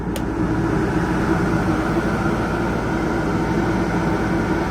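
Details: Coleman 13.5k BTU low-profile rooftop AC on a 2020 Geo Pro 19BH running on high, powered by a Pulsar PG2200BIS generator without hard-start capacitor; steady even whoosh and hum, no rattles, squeals or cycling, air cold; normal air conditioner running on high.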